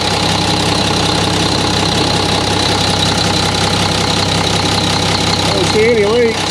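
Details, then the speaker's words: Mack truck diesel engine at first start after reassembly, with no visible leaks: even diesel clatter at a steady idle with no uneven beats or knocking. Normal idle. "well Bill she sounds good I don't see anything leaking"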